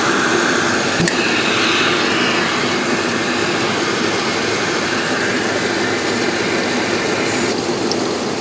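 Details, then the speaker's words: 2001 Dodge Ram 2500 V8 with random misfire, idling: hissy uneven idle with occasional sharp snaps as secondary ignition constantly shorts to ground; fix planned with new plugs, wires, cap and rotor. "all right guys i don't think the picoscope's gonna be much help to us it keeps glitching out every time that the secondary ignition shorts to ground which is happening all the time"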